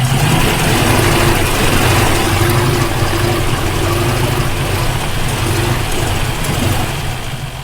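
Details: Rover P5B coupe engine, hot, misfiring only when hot, tested while swapping ignition parts: lumpy idle with uneven beats about three a second and a stumbling rhythm; ignition misfire.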